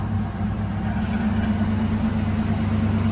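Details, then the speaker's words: 1988 Ford Mustang LX 5.0 V8, 5-speed, 13k miles, dead-cold start: steady, even idle with smooth low burble, no knocks or misses, zero exhaust smoke; healthy engine. "here's the exhaust zero smoke out of the car has a great sound to it hear it idle down there"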